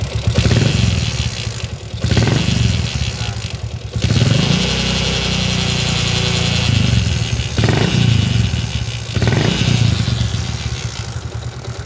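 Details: Yamaha Jupiter MX motorcycle idling with an uneven, clattery rumble and surging bursts when revved, rough noise from the transmission; engine split open revealed a broken gear selector pin.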